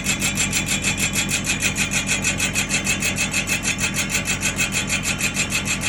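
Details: Nissan Patrol brake drum: rhythmic scraping grind pulsing about three times a second with wheel rotation, metal rubbing inside the drum.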